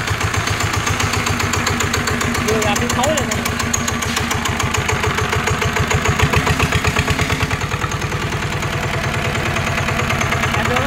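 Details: NF19 single-cylinder diesel, original: even steady thumping with no missed strokes or knocks; runs strongly, smoothly and without vibration.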